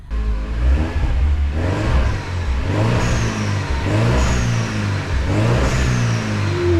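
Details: 2009 Mini Cooper S turbo petrol, first start after head gasket, timing, intake, turbo and cooling repairs, not fully warm at 115°, good oil pressure: repeated rev blips, running smoothly with no knocks or rattles.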